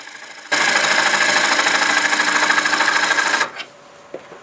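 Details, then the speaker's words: Olive wood bowl on the lathe: fast, fairly even ticking about three per second over a rough scraping cut, stopping when the tool lifts, as the tool strikes cracks that were filled on the outside. "kind of the sounds of a crack yeah a lot of cracks same ones I filled on the outside I could hear it ticking there"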